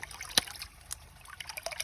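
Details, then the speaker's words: Hydraulic ram pump restarted after shutting off overnight; the line is still spitting air, an irregular water trickle broken by sharp spitting bursts about every 1.5 seconds, as air purges from the pump line. "there goes nothing until it's still spitting air you can hear it"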